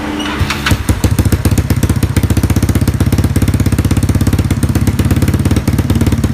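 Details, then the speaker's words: Yamaha Mio scooter just fitted with a Moxis 58.5mm bore-up block without squish head, 58 piston, stock valves, stock exhaust, carburetor installed: it fires right up into a quick, even putter with no tapping or rattle, a healthy idle. "Oke, ini piston 58 klep standar memakai knalpot standar"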